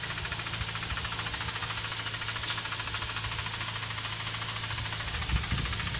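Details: Mazda RX8 231 bhp rotary idling with a light tapping about three times a second from the SSV, removed and cleaned already; actuator link suspected, needing replacement or rebuild; unconfirmed.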